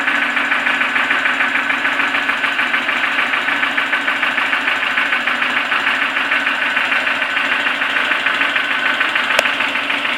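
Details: Toyota 4E-FE engine that has suddenly started knocking: sharp, steady tapping about three times a second over a smooth idle; an internal engine knock, and the owner asks what the cause could be.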